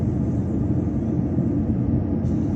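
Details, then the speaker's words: Tesla Cybertruck just back from service, about 20 minutes after Supercharging, AC off: steady heavy whooshing drone like battery preconditioning, not quieting while driving; owner asks whether this loudness is normal. "cybertruck question guys is the Cyber truck normally this loud after you supercharge it I supercharged it like 20 minutes ago or so I have the AC off"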